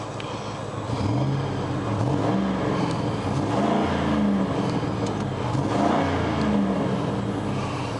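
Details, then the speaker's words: 1999 Grand Marquis Panther platform P71 4.6 V8 ice cream truck that developed a miss in cold weather, after finding a broken clip: revs up and settles smoothly with an even note, no misfire. "yeah yeah Willie sounds real good all right problem solved simple enough"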